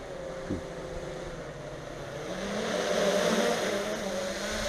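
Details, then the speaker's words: Traxxas Aton Plus quadcopter in flight, just out of air brakes in sport mode; steady, even prop hum with a mid-pitched tone that climbs and eases with throttle, no rattles or catches, a healthy, solid sound. "Just love the way those props sound. Real solid."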